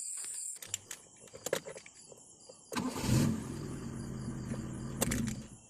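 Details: Carbureted car that was hard to start and stalled shortly after starting, in heavy rain: after some knocks and handling the engine catches and runs smoothly at a steady idle.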